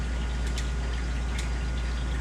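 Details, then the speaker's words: Ice machine during the freeze cycle: steady low hum with a few sharp crackles as the ice expands on the evaporator grid, frost on the lines; normal, signalling harvest mode is about to begin. "some crackling going on and what that is is the expansion of the grid so it's the ice actually expanding the grid putting some pressure on it"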